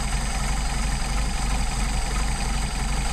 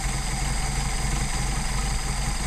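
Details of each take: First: Rebuilt Solex carburettor on a Mercedes 190SL, linkage disconnected, idle mixture screw turned in and out: low, uneven, lumpy idle that stumbles and slows, getting worse as the screw is backed out; rough idle from incorrect idle mixture. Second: Mercedes-Benz 190SL, rebuilt Solex carbs; idle mixture screw turned in and out to find stumble, then returned to best setting. Steady low idle, even pulse, no stumble or hunting at final setting; normal idle.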